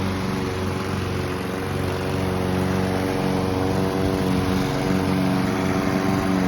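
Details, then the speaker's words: Honda Izy and Mountfield Empress 16 petrol lawn mowers, the Mountfield fitted with a replacement fuel tank, run until out of fuel for winter storage: a steady, even engine drone with no knocks or misses; normal running. "They both sound absolutely amazing. I love both of these machines."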